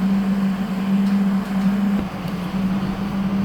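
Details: HL 1060Z 100W CO2 laser cutter water chiller running after power-on: a constant, even low hum near 200 Hz with no rattles or pitch wobble. The compressor is running smoothly; the air from the back gradually turns hot.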